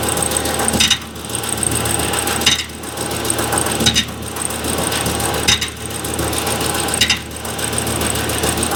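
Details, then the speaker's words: 2015 Chevy Silverado 2500HD, 197,121 miles, mic on passenger-side frame rail while backing up and stopping: sharp metallic clatter every second or two, not following revs. Noise unchanged with serpentine belt off. Starter drive rattling against flywheel. "Hopefully you guys could hear that. that was a noise that was very perplexing."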